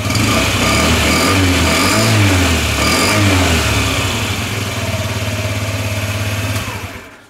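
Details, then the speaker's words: Honda Ruckus scooter after draining old gas and adding fresh fuel, fuel pump heard priming: the small single revs up and falls back cleanly several times with crisp throttle response, then settles and cuts. It runs healthy. "It is the fuel pump. Sounds like a Honda again."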